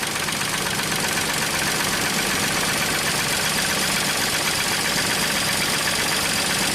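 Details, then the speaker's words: 1995 Mercedes E320 straight-six, not run for a year, crankcase full of oil, just started after clearing a crank sensor code, warming up with no codes: even, unbroken idle with a steady hiss, no stumble or knock. "unning smooth now keep in mind this crankcase is full of oil this car is not running a whole year so i'm going to warm it up for a couple minutes"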